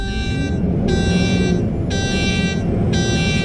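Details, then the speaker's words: Truck's steady high warning buzzer pulses about once a second over idling diesel after engine start, lasting about 10 minutes each morning; low-air warning blamed on a worn-out air dryer. "Every time you switch it off, you have to listen to that buzzer. Drive you around the twist."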